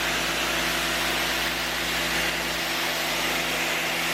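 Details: Electric pressure washer on first use, spraying to clean: steady high-pitched motor whine with a constant hiss of spray, even and unbroken throughout. Normal running under load.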